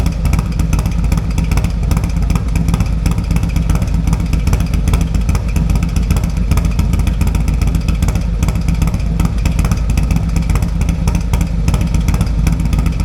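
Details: Harley-Davidson M8 with .520 lift cam, tuner, Fuel Moto 2-into-1 pipe: deep loping V-twin idle with choppy cam beat through loud exhaust, steady; normal cammed idle.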